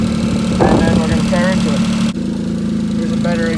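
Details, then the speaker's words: Daihatsu Hijet 4x4 mini truck with a 660cc three-cylinder that had sat a while and felt down on power. With the valve cover off before adjustment, warming up at idle in cold weather, light quick ticking rides over the idle. Valve tapping from excess valve clearance. "all right so I got the cover off you can hear my valves tapping away"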